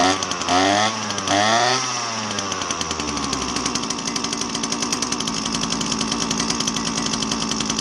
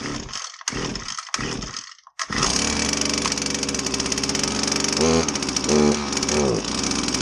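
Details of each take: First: Husqvarna 322R brush cutter two-stroke after tune-up (had bogged with no power after sitting): blips up and down, then steady even high buzz at full throttle; clean, healthy running. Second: Husqvarna 322R brush cutter, unused for a while, with fresh fuel possibly added on top of old fuel. After priming it starts but runs rough and buzzy, revs sag instead of picking up: bogging, lack of power. Carb rebuild planned.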